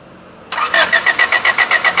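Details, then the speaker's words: Honda with a D15B engine that won't start: even starter cranking at about six compression pulses a second that never catches. Spark was confirmed at the plugs and the injectors spray, but fuel pressure is too low; the weak in-tank fuel pump was replaced. "หัวฉีดน่ะก็น้ำมันก็ฉีดมานะพี่หัวฉีดแต่ว่ามันแรงไม่พอนะแรงดันไม่ได้เอาแรงแต่ไม่ได้ก็ทำให้เครื่องยนต์ไม่ติดน่ะสรุปเป็นที่พร้อมติ๊กนะ"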